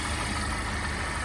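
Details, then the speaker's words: 2016 Cadillac ATS4 2.0T with Mishimoto intercooler, first start after ZZP large throttle body and Denso Iridium plug install: smooth, even idle, no shaking, misses or ticking; sounds healthy. "it seems to be doing fairly well. It's not shaking or anything. It feels healthy on the inside."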